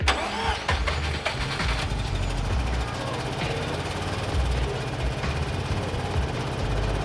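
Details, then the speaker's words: Abandoned 1988 Mazda RX-7 FC rotary, low on oil pressure; engine runs but idles lumpy and poorly, stumbling as if misfiring; plugs to be pulled next. Rough idle, cause not confirmed. "Well, as you can see, it kind of idles, but still very poorly."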